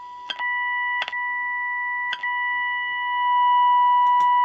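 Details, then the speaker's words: Unitra Eltra Alicja R-701 FM receiver fed a 65–73 MHz signal generator, strongest at 72.6 MHz near the band end: clean, steady test tone comes through strong with a few tuning clicks; alignment within tolerance though slightly off. "czyli radyjko powiedzmy mieści się w swoich parametrach jeżeli chodzi o zestrojenie mogą być by lepiej"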